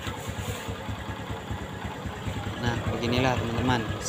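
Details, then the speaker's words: Honda Revo Absolute motorcycle after repair: new cylinder block and cam chain fitted, cam chain had been loose and engine rough with block oil leak. Even, steady low putter at idle with no top-end rattle or scraping; starts normally, now smooth. Normal idle. "penyalahan mesin pun hidup dengan normal dan suaranya pun menjadi halus"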